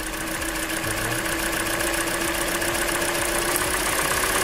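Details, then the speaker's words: Hyundai Elantra 1.8 engine, 69k miles, idle with cylinder one injector disconnected: fast light tick of three or four per second that reduces a little; owner suspects piston slap, not confirmed. "Okay, cylinder number one disconnected. Now you can hear that it definitely reduces a little bit the noise."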